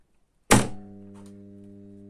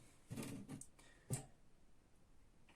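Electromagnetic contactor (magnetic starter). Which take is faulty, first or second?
second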